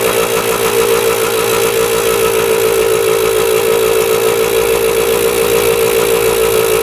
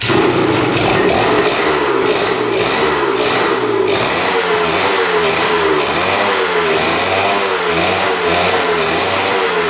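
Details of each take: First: 1977 Kawasaki KE100 two-stroke enduro after carb float change, running without air filter: even crackly steady idle, no misses or surging, no top-end knock, bottom end sounds healthy. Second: 1977 Kawasaki KE100 two-stroke enduro, first start in over 10 years after a carb clean, fresh fuel, good compression and spark: a ragged, boggy buzz with revs surging and sagging. It runs only on choke and won't idle; air-screw adjustment follows.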